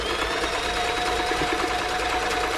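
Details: Toyota model 2640 sewing machine after service and plug fault fix, sewing a stretch stitch on fabric: fast even whirr with steady light chatter, no knocks or grinding; normal running.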